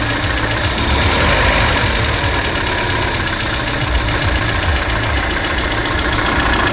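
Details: Lada Kalina 1.4 16-valve engine at idle: busy idle with a fast, uneven tapping under the engine note, a few hundred a minute; engine knock, cause unknown.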